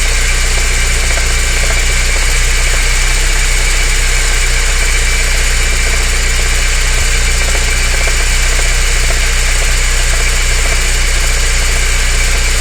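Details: BMW 318is E30 engine at idle: faint uneven tapping over the low engine drone; abnormal noise, source not pinned down.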